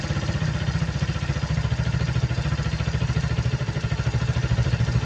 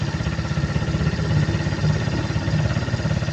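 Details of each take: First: Suzuki Hayate scooter with a cracked vacuum hose: steady, even low putter with quick regular firing pulses, no misses or surging; idle speed rises when the cracked hose leaks and slows and smooths when it is blocked. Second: Suzuki Hayate scooter with cracked vacuum hose: small engine putters fast and even with idle raised to about 1,600 rpm instead of the normal 1,400; covering the hose with a finger slows and smooths idle, confirming the vacuum leak.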